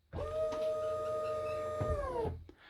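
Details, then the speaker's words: SeaFirst autopilot pump motor on a Mercury outboard setup, fed 12 V directly, running in both directions by swapping polarity: clean, steady hum that holds pitch, then winds down; normal pump motor running. "so everything is fine and now is reversed so that's the way I have seen some question people ask how to test the pump is just the motor with two cables black and W and uh red and the motor works like when you connect in one or another Direction so it's rotate one or another Direction"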